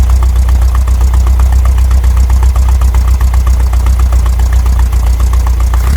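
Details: VW Brasília (Fusca-type engine) after fitting a Chinese Hall-sensor electronic ignition distributor in place of points: low, even putter near 600 rpm with slightly uneven pulses, cold, ignition timing not yet set; windy outdoors.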